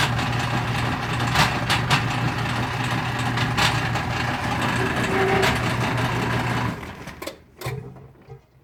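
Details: Whirlpool direct-drive washing machine that wouldn't spin or drain; after disassembly and drain-system cleaning it spins but still won't drain: steady low hum with irregular sharp pops and clacks, then winding down; grinding and popping noise, cause unclear.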